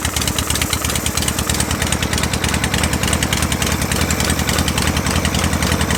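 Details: Shovelhead V-twin with dual-plug heads, just fitted with Raj spark plug terminals, on a 73°F day: lumpy, uneven fast idle with a quick throttle blip, firing steady on both cylinders; normal idle.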